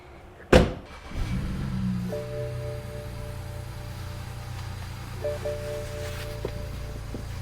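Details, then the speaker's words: 2008 BMW E90 335i with the N54 twin-turbo engine, after a new radiator, upper, lower and heater hoses and both wastegate solenoids, plus an adaptation reset, on a cold drive: a quick crank, then a slightly uneven cold idle that is normal for this car. "Idle's not perfect, but this car doesn't idle very good when it's cold."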